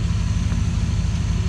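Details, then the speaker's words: Copart salvage truck with a leaking radiator, fired right up: steady even low rumble, smooth firing beat, no knocks; normal idle, cooling fan not spinning yet, shut off soon to avoid overheating. "fired right up no fan ain't spinning well maybe ain't supposed to be yet"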